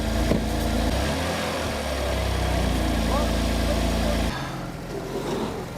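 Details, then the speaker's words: Crashed BMW M4 being rebuilt, engine running with a steady, even idle hum and no knocks or misses before revs settle lower, though oil leaks near the cooler area: normal running. "Yep. That runs good, man. It does run good."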